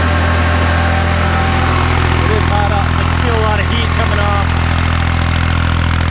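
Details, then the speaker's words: Kubota B7100 diesel tractor running a NorthStar PTO generator at about 4000 watts, roughly eight horsepower: deep, steady drone holding even speed under load, no knocks or misfires; running healthy. "so that's roughly 4 000 Watts putting out about eight horsepower I think it'll go a little more but probably not a lot more"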